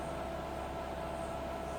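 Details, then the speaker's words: Rebuilt Bridgeport milling machine with air drawbar, spindle restarted after tool change: smooth, even hum with steady mid-pitched tone, no knocks or rattles; normal spindle running. "So fire it up, press the go button again, machine runs as it"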